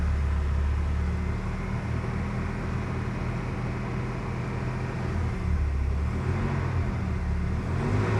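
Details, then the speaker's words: Mercedes-Benz W124 230E, hot, fan clutch engaged (tested to activate at 100°C) after a new thermal vacuum switch was fitted; revs raised so the fan gains momentum, deep whoosh swelling with revs while the temperature comes down; normal fan clutch operation. "Generally when it is like this and I give it some revs and the fan picks up momentum, you can actually see the temperature come down."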